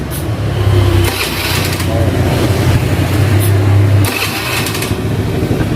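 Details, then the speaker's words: Carbureted Honda Beat scooter, after fixing an electric starter that only clicked (tek tek) by rewiring the yellow starter wire to the red socket's yellow-green wire: starts instantly and settles into a steady, even idle hum. "Nah ini kan udah beres, kita langsung tester untuk bagian testnya, langsung nyala ya."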